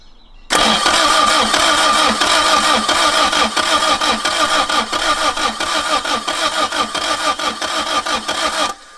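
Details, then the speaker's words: 1990s Mk1 Toyota MR2 project car: starter churns steadily about one and a half beats a second for eight seconds with no firing, and no fuel pump is heard running (suspected, not confirmed): cranks but won't start. "Not having it, brother. There's no fuel pump, no, that's the worrying thing. I don't hear a fuel pump at all."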